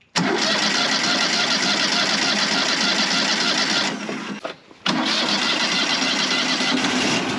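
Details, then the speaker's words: Wood-Mizer LT35 sawmill 25 hp Kohler engine after carburetor replacement, air filter off, cold start at about 34°F: catches quickly and settles into a steady, even run, much better than before; normal. "but it you could tell and you y'all might could hear it in the videos but it wasn't running right like this thing was not running right that right there sounds a world of difference"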